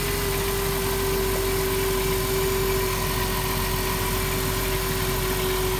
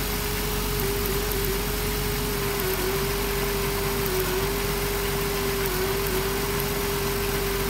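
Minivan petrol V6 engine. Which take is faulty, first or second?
second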